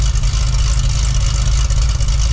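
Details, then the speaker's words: Cadillac CTS-V wagon V8, cold start with factory mufflers and cutouts closed, after fixing a leak behind a bank-two fuel trim code and suspected misfire: deep, steady idle burble with even beat, no stumble; normal idle. "I'll uh I'll get you guys set up for a uh a stealth mode cold start it's pretty reasonable uh with the factory Mufflers"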